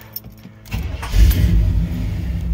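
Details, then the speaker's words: 1982 Chevy Blazer started in the driveway during a walk-around: keys rattle, quick catch, then a smooth, even low rumble with no knocks or misses; the truck runs really well, a normal start and idle. "ah truck runs really well all the gauges work the heater works if you can hear that"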